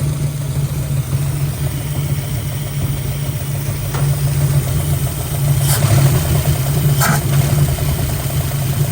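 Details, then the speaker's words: 1965 Mustang 289 V8 after oil was restored to all rocker arms to cure a lifter tick; starts right up into a steady, deep idle with no top-end tick; normal idle. "I think we have officially fixed the ticking noise. We've got oil flowing to all the rocker arms and it is running the best it's ran the entire time we've been working on this car. It kicked right over."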